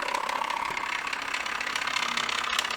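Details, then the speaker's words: Samsung Jet 90 Pet vacuum, belt-driven turbo brush before repair, run with its cover open: fast buzzy rattle over a high whir, constant while spinning, with a part in the brush drive damaged, cause not yet confirmed; turbo brush rattling noise. "There are some clips here. It's making a lot of noise. So this part is definitely damaged."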